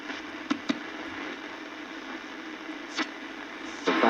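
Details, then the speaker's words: Siemens Grosssuper G7 tube radio, first power-up during restoration, running without its cabinet: on shortwave near the 16 meter band a strong station comes through clearly over a low, steady hiss with little fading, so reception is good. "Ah, will you listen to that? That is up at the 16 meter band or so."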